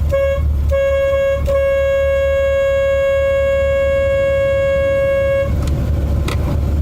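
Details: 1987 Chevy Corvette C4: only the higher-note horn works, giving thin, wimpy import-like short honks with no lower tone; the other horn is dead from an internal short and needs replacing.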